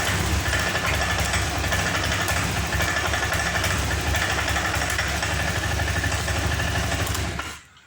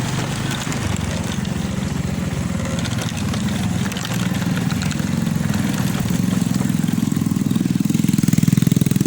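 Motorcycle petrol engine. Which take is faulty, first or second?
first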